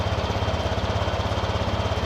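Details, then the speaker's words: Honda Vario 125/150 scooter (also Beat, Scoopy, PCX) idle test after setting idle air screw to factory two turns, no scanner: idle starts high then settles on its own; steady even low putter, no misses; normal idle. "Bagaimana suara atau merasakan stasioner pada putarannya ngetes stasionernya"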